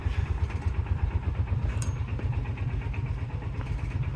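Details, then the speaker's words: 1995 Kawasaki Mule KAF620A started ice cold after fuel tank work: lumpy cold idle with light ticking and a new faint ring, identified as the fuel pump clicking; engine stayed running. "she does not like cold weather too much oh it's making that ring noise that's new oh that's the fuel pump it is a clicky clacky it's just a little baby clicky clacky"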